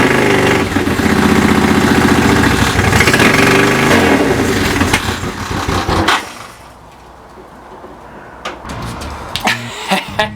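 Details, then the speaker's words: Honda CX500 cafe racer twin at first start after the build, bad wires fixed, carbs not yet tuned or synchronized, silencer with baffle: strong bark that catches and revs for six seconds then settles; runs cleanly; normal running. "So that's working now, that's working brilliantly. Obviously the carbs need to be finely tuned, they need to be synchronized, all that, but the bike is running and it sounds super amazing."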